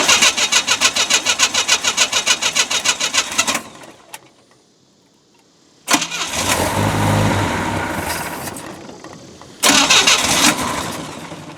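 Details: Boat inboard engine first run after manifold replacement, earmuffs supplying water: fast cranking catches into uneven surging running that fades and restarts; rough because ignition timing is off and carburetor needs rebuild, oil still water-free.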